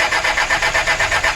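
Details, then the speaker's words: Mitsubishi L300 diesel with timing marks aligned, glow-preheated and throttle held: steady cranking about eight beats a second without catching, then white exhaust smoke; also heavy pull and slow rpm rise, injection pump timing suspected. "Ini contohnya kawan, dihidupkan susah banget. Ini manasi dulu. Padahal itu pas posisi tanda loh ya. Dihidupkan susah."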